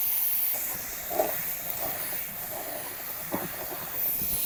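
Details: Samsung refrigerator with a leak at a pipe joint inside the cabinet, located with a stethoscope: a steady high-pitched hiss of refrigerant escaping that stops when the joint is touched by hand; the joint is to be cut open and brazed.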